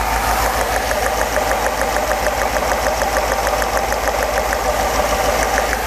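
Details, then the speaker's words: V8 running very badly after a poor fuel distributor rebuild: uneven lumpy idle with sharp snapping of a violently arcing plug lead when unplugged; spark is strong but cylinders six and seven don't fire, a fuel fault. "can actually hear the spark violently sparking so the spark is there but there is no ignition like unplug it plug it back in nothing"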